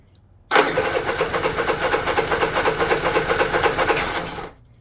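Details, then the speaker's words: Honda EU3000is generator that runs on the pull rope but won't start electrically, after fitting new ignition switch: steady rapid cranking, about two compression pulses a second for four seconds, never fires; no spark on spark checker. "so ignition's on essentially because I took the jumper out and um I gotta use the jumper to crank it go ahead and no spark can you see the spark checker this is just blows me away why it doesn't"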